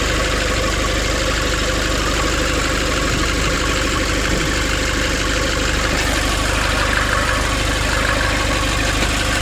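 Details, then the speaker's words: 2005 Nissan Urvan diesel after the pump repair and pipe leak fix, warming up with idle raised: even, steady clatter with no misses, hunting or knocks. Normal idle. "Everything is fine. I make a heat, that's why the accelerator is coming more from here."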